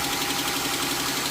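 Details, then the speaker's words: 3.6 Pentastar engine under extended warranty, fitted with an aluminium oil cooler, on a cold first-morning start: fast light ticking over the idle, steady with engine speed; suspected bank 1, a failed rocker arm. "This the one I checked out earlier with the ticky noise. Let's see if it do it now. It's first thing in the morning. Cold."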